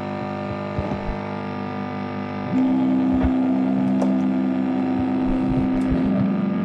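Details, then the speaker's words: Guitar through Zoom unit and audio interface into Amplitube amp sim (OCD pedal, possibly a Mark-series amp, Orange cab): constant steady buzzing hum under the guitar, high noise floor; suspected ground loop/grounding issue, not confirmed. "so we need to find a way to have that static and hum out and it's as you can hear it sounds very much like a ground Loop type thing a typical grounding issue"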